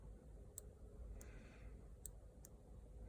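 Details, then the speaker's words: 2010 Hyundai Santa Fe CRDi driver's seat belt buckle, after the microswitch hinge was reseated and adjusted: a handful of crisp, light clicks in a quiet room as the microswitch presses and releases cleanly; the switch works properly. "it's back in it's hinged and you can hear the microswitch press and depress again"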